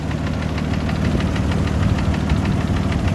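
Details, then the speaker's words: 80 Series Land Cruiser with freshly rebuilt engine at idle; sharp regular knock about four per second over the idle, torque specs said followed; owners fear catastrophic failure; cause suspected, not confirmed. "we need to diagnose this knocking sound because we can't live with that and something might catastrophically fail"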